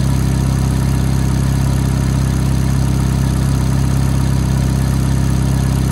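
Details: F430 at cold idle: a light, quick ticking of roughly three to four per second rides on the steady engine note; cause unclear.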